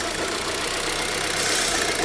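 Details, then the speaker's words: 2006 Vauxhall Vectra-C with the Z18XER engine at idle: a steady airy hiss with slight rev drops and hesitation, a vacuum leak traced to a failed PCV valve in the cam cover, which is to be replaced. "You can feel a hesitation in the car. And I can hear a slight sucking noise from the engine bay."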